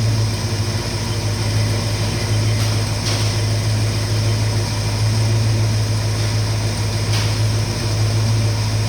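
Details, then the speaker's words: 1969 Mustang V8 after new engine parts, a cleaned carburetor and full 13 V to the coil: a steady, deep, even idle rumble with no misses or knocks. It sounds better than before. "And but with all them new parts on that motor, I think it sounds a lot better than it did before."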